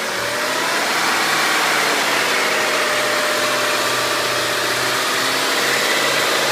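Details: BMW E39 M5 V8 idling with a busy, buzzing vibration and a faint steady tone over the engine beat; source of vibration and noise unknown.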